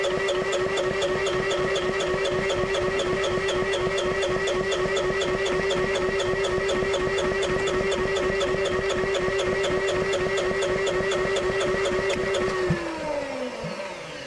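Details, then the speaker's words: IHI IS7 GX mini excavator diesel on jumper pack, fuel pump running: steady starter whine with even compression pulses about four a second, never fires; injection pump drive quill installed 180 degrees out, pumping fuel backwards. "Okay. So, if you seen it spritz and fuel there, I was actually going backwards. So, that means I got that quill in there wrong."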